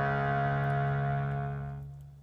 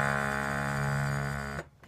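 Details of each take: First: Harmonium (DMS 18 Teak), single reed after its casing's inside edge was filed so the reed no longer hits the metal casing: steady clear low note fading out with no buzz or rattle; fixed. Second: DMS 18 Teak harmonium: a held note sounds raspy and buzzy because a metal reed is brushing its casing. The fix is filing the casing, or replacing the reed.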